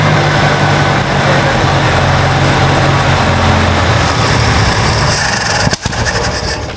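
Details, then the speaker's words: 1967 Jeep Jeepster Commando revived after sitting, no coolant yet, no longer running off the fuel bowl; low even idle hum with no misses, knocks or vibration, idling smoothly. "It's so smooth in here. You can hardly tell it's running. Like no vibrations. Dude. Crazy smooth."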